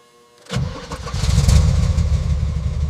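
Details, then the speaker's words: 1971 Ford Mustang Spring Special 351 Cleveland V8, barn-stored since the early '90s, first start after fluids, filters and fuel: after a short crank it coughs, fires at once and settles into a deep, even idle with no knocks. Normal cold start. "It cranked. It coughed. Then it fired. The 351 Cleveland roared to life after decades of silence."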